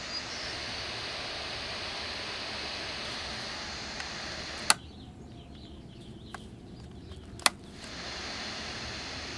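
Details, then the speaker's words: 1964 GE P925 transistor radio: heavy steady rushing hiss even at zero volume, briefly cut by clicks; suspected noisy germanium transistor in the audio circuit. "a lot of hiss listen to that waterfall with the volume all the way down"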